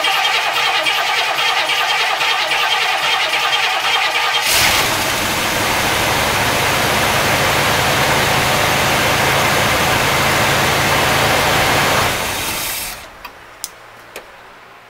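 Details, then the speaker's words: 1964 Cadillac V8 with points ignition, new spark plugs, cylinders dried of excess fuel: cranks, catches and runs evenly three to four seconds, then cuts out abruptly without sputtering; owner suspects spark lost again, likely the points. "for the what three seconds four seconds it ran it ran really well so i think we're going back to the spark i think we lost spark again"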